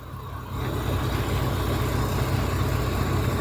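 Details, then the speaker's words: Volvo D13 diesel highway tractor (VNL) after hard-start repair with new injectors and a new water separator filter: catches almost at once on one kick and settles into a steady even idle, no long cranking; normal start and idle. "So it's one kick, YouTube."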